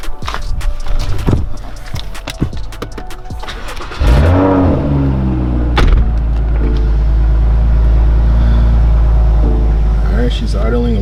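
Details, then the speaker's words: BMW engine after the charge pipe (boost leak) was fixed with a coupler: clicks and handling, then it cranks, catches and settles into a steady, even idle, much better than the rough idle before the repair. "from what it sounds like right now you know it's idling much better than before"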